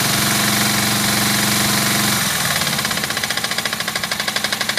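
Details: Suzuki GS500F engine at idle: sharp, regular knock about four times a second, clearly audible over the engine; knock stops above 2,000 rpm, cause unknown.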